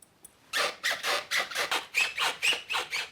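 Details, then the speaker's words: Skateboard trucks rocked back and forth give rapid rhythmic high squeaks, about four a second, from trucks rubbing against bushings and pivot cup; fixed with unscented paraffin wax. "that squeak was truly annoying wasn't it well let's get rid of that right now"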